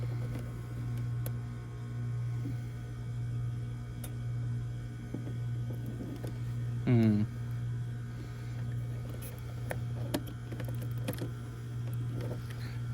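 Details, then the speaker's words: Trane package heat pump on no-heat call at 30 degrees: steady low electrical hum with no fan rush or airflow; blower motor getting 240 V but not turning, condenser fan also not running, capacitor possibly suspected. "That blower's wanting to run."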